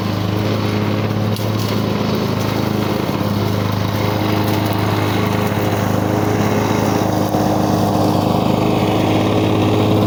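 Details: 1985 Lawn Boy model 7350 two-stroke mower, free find that sat outside for at least three years, clearing brush and weeds on raised aftermarket wheels. Steady, even two-stroke drone with no misses or surging. Runs well, though the owner thinks the RPM is a little low and may need adjusting.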